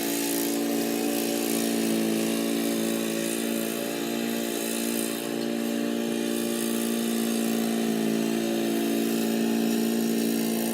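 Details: Old Murray riding mower with a 12 hp Briggs & Stratton engine, mowing in 30–33 degree heat: even, steady drone holding its pitch while cutting, with no misses, knocks or surging; healthy engine pulling well under load.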